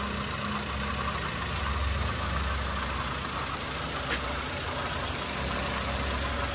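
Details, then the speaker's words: Toyota Avanza engine after rebuild for knocking: new liners, piston rings, connecting rod and main bearings, valve seats redone; now quiet, smooth, even running during break-in, previous knocking gone; normal engine running. "So tingnan natin iyung andar ngayon mga sir. Aan tahimik na siya. Ayan pa-break in na'. Dati lumalagatak taktak ayos Ah."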